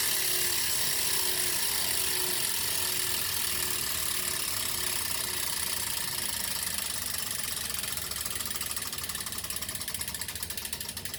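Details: Elite Rampa smart trainer: fast, sharp high ratcheting clicks, about four a second, over a light whir; source inside the trainer unknown.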